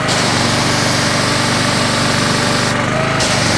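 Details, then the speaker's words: North Star 3000 psi pressure washer, CAT 5DX40G pump after reseal and valve replacement: loud steady drone with even pump pulse about four beats a second, no shudder; spray reaches 20 yards; running properly. "see I'm moving that tree out there that tree's a good 20 yards 60 feet"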